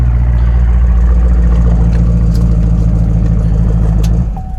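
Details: Chevy Camaro SS V8 during a battery test after it left the owner stranded: deep, even rumble with a steady lope around three pulses a second, then winds down at shutoff; normal idle.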